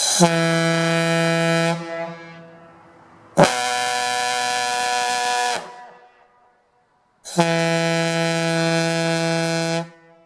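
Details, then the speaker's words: Gamewell Type B diaphone fire horn run on an aluminum piston without the 40 holes and extra collar, fed by a 1/2-inch supply line instead of the required 1-inch; three deep blasts, deeper tone, each cutting out or sagging as it starves for air. "sounds to me like it's got a little bit deeper tone on that piston I can still hear it stopping for air but I'm happy"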